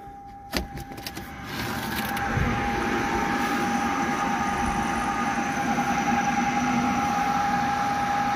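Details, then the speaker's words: Flexit C2 IV heat-recovery ventilation unit in a cold attic, exhaust fan running with worn bearings. A steady high whine and rustling hiss is heard, also audible through the combi unit, while the supply fan is silent. The exhaust fan bearings need replacing. "but you can hear a clear bearing noise from there through the combi unit, so let's go and see what can be done about it."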